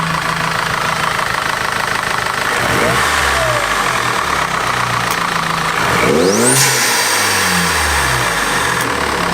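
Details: Audi A4 B8 2.0T just after spark plug replacement: fires up, revs climb and fall back a couple of times, then settles into an even idle with no stumble or misfire; normal start and idle.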